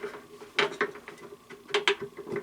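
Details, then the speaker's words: LG Tromm front-load clothes dryer with loud clunking/banging, drum removed: drum support roller spun by hand gives a loose clacking rattle from worn roller with play, unlike the quiet other roller; roller may need replacing. "one might need to be replaced there's a little bit of play in it you just hear it's rattling and making movies as you spin as opposed to this one which is quiet"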